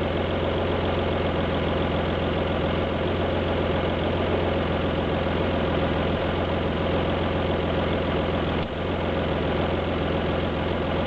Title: Alfa GT V6 misfire